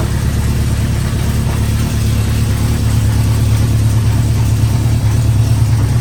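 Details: The 350 started with choke up and idle turned up, Seafoam added to fuel, outdoors on a windy day: low steady even idle, no stumbling or hunting; idling a lot better and sounds healthy.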